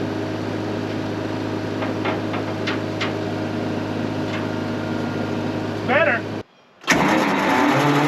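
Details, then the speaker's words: Abandoned twin-turbo 12V71 Detroit Diesel generator, just revived and running. Steady diesel drone, then a brief whirring chatter as the starter engages while the engine runs after the switch is hit, and the engine cuts out. "that tried to start dude that engaged the starter while it was running you know what i'm saying"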